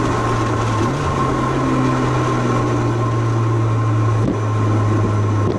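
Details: Mitsubishi Lancer Evolution VIII MR, which had blown black smoke and then would not start due to fouled spark plugs, running after plug replacement and shop repair and tuning: steady, even drone with no misfire or stumble.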